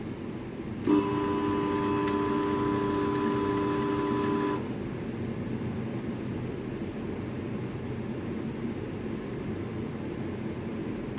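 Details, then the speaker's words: At startup of a lab laser's cooling system (key switch on, fan and water pump meant to start), a harsh steady buzzing tone for about four seconds, then a quiet hiss; the cooling pump is not running, apparently dead. "what the [ __ ] what was that noise that was the worst noise I've ever heard in my life um okay all right I found the problem that pump right there this thing's the pump she's meant to run it's not it's not running"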